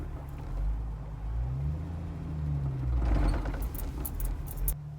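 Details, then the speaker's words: 1998 Jeep Wrangler TJ pulling away in first on an incline: low engine rumble surging and wavering unevenly as the clutch is let out, shuddering that is sometimes worse than others; clutch judder, fixed with flywheel replacement. "Did you hear that shuddering? Sometimes it's worse than others."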